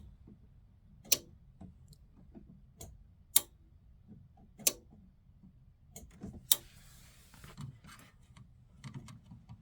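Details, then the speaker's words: Suburban SF-30F furnace in a 2007 Keystone Sprinter RV, on the bench with 13.5 V supplied: sharp isolated relay clicks every couple of seconds in a quiet room, but the blower motor never starts; the faulty control board's relay isn't passing power. "I'm gonna try to click it on here. The relay does click, but it doesn't send power to the motor."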